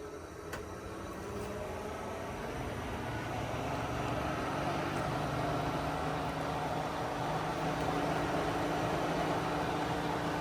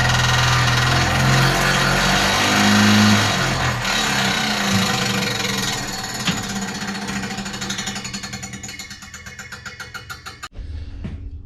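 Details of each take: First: 1955 Willys Jeep CJ-5 heater blower after adding a ballast resistor on the firewall to stop the switch overheating; at full speed, steady even fan whoosh with low motor hum, no rubbing or scraping, running smoothly. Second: 1955 Willys Jeep CJ-5 heater blower after rewiring to switched power; whirring with steady rhythmic scraping rub that slows on coast-down; not the fan blade hitting housing, heater removed.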